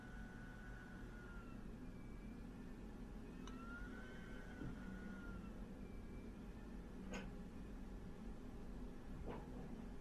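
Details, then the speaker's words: Fujitsu Q704 during a benchmark: faint high fan whine climbs then slides back down over a few seconds; cooling fan ramping with load. "i'll just start the the benchmark and you'll hear the the fan going up and down pretty much starts immediately and then it ramps up a little more and once it gets to this first part it ramps back"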